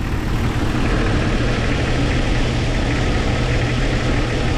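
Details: 1997 Jeep Cherokee XJ 4.0 inline-six idling after radiator and rebuilt NAPA power steering pump replacement, engine not yet warm: deep, even idle, no squeal or chirp; pump runs quietly though its pulley wobbles slightly.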